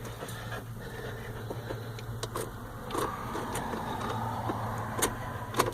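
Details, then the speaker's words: 1994 Ford F-450 Super Duty 7.3 IDI turbo diesel, rebuilt about 10,000 miles ago, glow plugs and relay suspected dead: sluggish uneven cranking under two turns a second, no start; mismatched batteries and overheated undersized ground wire. "huh well I guess this may be a fail okay so I think it's gonna give us a shot this time nope I lied"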